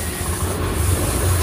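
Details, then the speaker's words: 2020 Honda Beat scooter idling steadily and evenly after a kick start, with no misses or knocks. The engine runs fine on the kick starter, but the electric starter and horn don't work even though the battery is good. "Ya kalau di engkol motor ini hidup Ya kalau ada engkol kita engkol nah motornya nyala"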